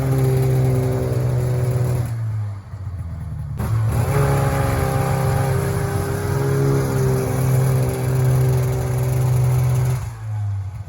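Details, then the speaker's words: 1994 Polaris Indy 440 two-stroke snowmobile, cold weather around 5°C, airbox refitted, rebuilt fuel pump, air screw 3/4 turn out: revs then sags and stumbles around 4500 rpm coming onto the pipe; bog under throttle, cause not pinned down. "be coming onto the pipe around 4500 RPM there's a bog and then it takes [Music] off in case that wasn't clear it seems to go"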